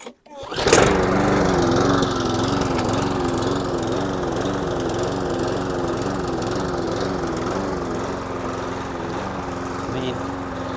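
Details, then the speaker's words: Briggs & Stratton 450 lawn mower engine with cleaned carburettor and new diaphragm, after starting: revs rising and falling in slow wavering rhythm, sounds ropey; hunting at idle, air leak suspected, not confirmed. "if you listen, it still sounds a little bit ropey. You can hear the engine hunting a little bit. Perhaps it's got an air leak."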